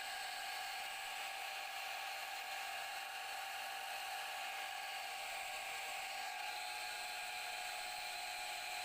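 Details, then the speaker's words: Repaired water pump motor (about two years old) drawing from roughly 50 ft deep source up to hillside house: steady even high clean whir, no stalling hum; spins freely, running normally after repair. "niyo Gumagana na yung nire natin"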